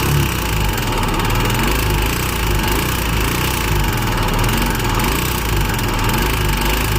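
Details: Royal Enfield Himalayan BS6 single at steady idle with a harsh mechanical clatter riding over the exhaust beat; abnormal engine noise, cause not pinned down.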